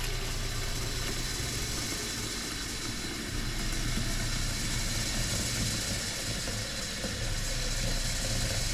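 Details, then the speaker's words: Off-grid cabin water pressure pump after adding an accumulator, heard from inside: steady, even low hum with far less surging than before; pump running normally. "Not nearly as much surging as there was before. So I'm going to leave the accumulator on there."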